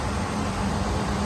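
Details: Furnace inducer (exhaust) motor running steadily after cleaning and removing the jumper: even fan rush with a low hum, no cutting out or pressure-switch clicks; inducer operating normally.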